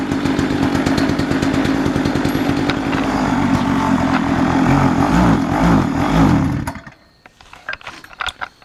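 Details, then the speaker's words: Dump-find mini chopper's small two-stroke engine running on mixed fuel poured into the cylinder: rapid, rattly firing holds about seven seconds, then cuts out when the fuel is burned, proving the engine runs before the carburetor is addressed. "Well, now we know the engine runs, so I'm going to move on to the carburetor."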